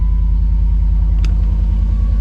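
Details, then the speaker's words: Jeep Commander after ignition switch replacement fixed its no-start: steady even low rumble, smooth regular beat, no ticks or stumbles; normal idle. "yeah buddy that's the sound we want to hear start right up"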